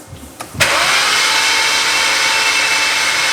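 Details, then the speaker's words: Flood-damaged BMW 135i that sat 8 years in a junkyard, cranked with the coils out to check for water in the cylinders: after a click the starter spins it evenly with no binding. The engine turns freely and isn't seized. "all right cranks nice and smooth"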